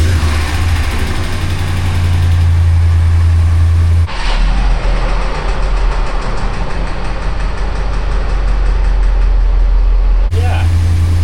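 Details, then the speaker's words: Ram 1500 V8 cold start after sitting over the weekend: deep rough idle with a loose, repeating knock riding the rumble; oil pressure reads mid-gauge, dismissed as normal Dodge behaviour. "Yeah, I know. I was just listening to that horrendous engine knock that I had after sitting here over the weekend."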